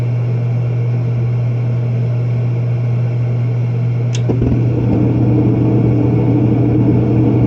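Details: Propane warm-air horizontal commercial furnace in an attic, after fitting and adjusting a new universal igniter: even low hum, a sharp click mid-clip, then fuller steady roar as the burner lights; firing normally.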